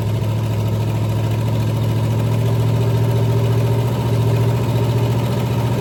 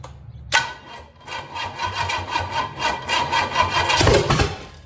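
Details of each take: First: 461 Pontiac stroker V8 first fired on a run stand with open manifolds and a weak run-stand battery: loud, deep, lumpy cammed idle, steady and even without misses or knocks; normal idle. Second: 461 Pontiac stroker on a run stand, no fuel line connected, residual fuel in carburetor: labored, uneven cranking with a brief stumble as it tries to fire; run-stand battery nearly dead, slow cranking; wiring, distributor, coil and MSD confirmed working.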